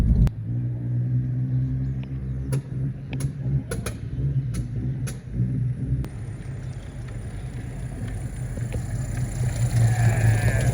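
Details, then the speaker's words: 1972 Chevrolet (Holden) Constantia on its first drive after a new distributor cap. The engine lugs with a low rumble broken by sharp irregular pops and bangs from a wrong firing order. After the firing order was swapped, the pops and bangs stopped. "we'll figure out why it pops and why it bangs but it drives that's our first successful drive so we've swapped around the firing order um I don't hear the pops some bangs anymore"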